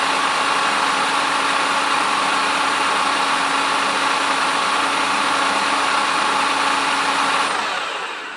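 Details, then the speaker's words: Pontiac Fiero alternator after rebuild (cooling fan had self-destroyed during a race, other faults too), tested on the bench: simulated start, battery 12.18 V, charging begins; steady even whir with fixed high whine fading on spin-down; normal alternator operation. "On démarre la voiture et on commence à tourner. Le charge commence à mettre en place."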